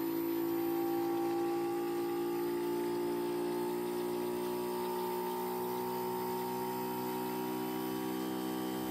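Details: Bosch heat pump in defrost: steady compressor hum with layered tones and soft hiss, outdoor fan silent, reversing valve de-energized, coil steaming as frost melts; normal operation.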